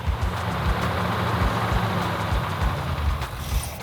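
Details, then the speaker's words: 1970 Plymouth Cuda 340 automatic during warm-up break-in: lumpy V8 rumble, lifter or pushrod ticking mostly quieted; running better, not yet at operating temperature. "So everything really, for the most part now, is starting to dial back in. I don't know if it was a lifter or push rod or a combination of both of them that were making all the noise. That has quieted down quite a bit. Definitely is running better."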